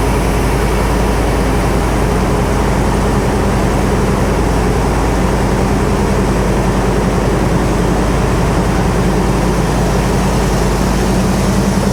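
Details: Classic V8 car with automatic transmission, started after sitting for years and a full fuel-system flush: loud, steady low rumble with an even beat, no knocks or misses, belts not squealing; only a minor vibration at start and a very slight tap. Normal idle.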